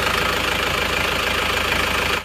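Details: Diesel that overheats and loses radiator water fast, cranked with the radiator full: coolant spurts out with a "plekutuk" sound, confirming compression is crossing into the radiator. Idles with a steady clatter and a slightly uneven, puffing beat.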